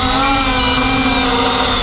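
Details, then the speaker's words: MJX Bugs 8 brushless 250 FPV race drone flown past low-battery beeping warning: strained steady buzzing whine at full throttle, no surge, as it sinks on its own; motors weak on depleted battery until shutoff. "gonna keep flying until it absolutely has to land it's getting very weak getting very weak I'm full throttle up he's going down on its own"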